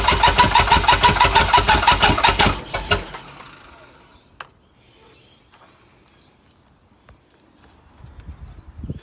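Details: Chrysler Valiant Hemi 265 six with rebuilt starter, fuel pump fitted, ignition bypassed with owner's own starter switch; even cranking pulses about three a second for three seconds, never catches: cranks but won't start.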